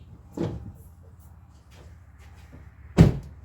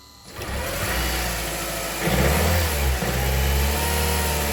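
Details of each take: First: Honda Civic no-start: two dull taps with no cranking, battery draining and smoking; AC compressor locked internally, belt discolored from heat, suspected of seizing engine; plan to remove belt; starter may also be failing. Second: Honda Civic with seized AC compressor that caused a no-start, belt removed: short crank, catches cleanly in about two seconds and settles into a steady idle; starts normally once the compressor is disconnected.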